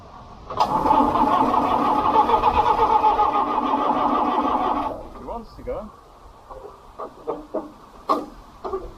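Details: International B414 four-cylinder diesel tractor, sat 20 years by a pond, glow plug contactor freed: even cranking about four beats a second for several seconds without catching; won't start yet.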